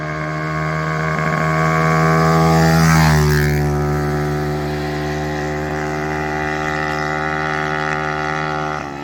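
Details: Honda CT70 with newly installed upgraded single-cylinder engine, with oil cooler: revs up, then settles into a steady, even idle at about four firings a second, no popping back through the carb; normal running.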